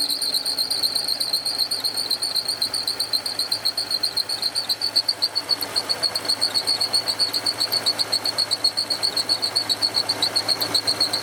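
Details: BMW/Range Rover M62 V8 after cooling system replacement: shrill, steady chirp about twice a second at idle from a serpentine belt with too little tension. The tensioner was set wrong, and a new pulley didn't help.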